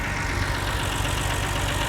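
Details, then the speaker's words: BMW 330i auction-bought non-runner, now starting and revving: uneven, lumpy misfire from idle up through the revs; misfire from the cylinder five coil pack connector not seated properly. "but it still seems like now it's got a bit of a misfire like we've fixed our problem yeah but there's still something else now cuz that's revving from bottom to top just it's just it's just misfiring"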